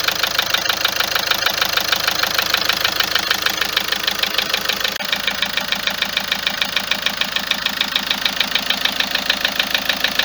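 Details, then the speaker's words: Car engine at idle, noise began this morning and is constant: sharp, steady metallic ticking about three per second, engine not vibrating; owner attributes it to the injectors and tappets. "الصوت يتكلم منه، الطقطقه هذه يتكلم من هذه، التقربيح هذا يتكلم من جيتي زانجكتر والتكايات."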